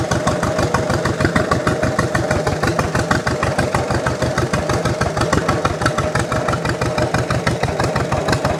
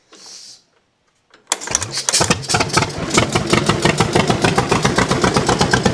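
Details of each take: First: 1929 John Deere GP two-cylinder tractor after first start, warming up: slow, even putt-putt about three beats a second, steady and unlabored, sounding better the more it runs; normal running. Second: 1929 John Deere GP tractor, first fire-up with choke off; catches and pops along unevenly about four beats a second, running like one cylinder; owner suspects dirt on the shield burning off.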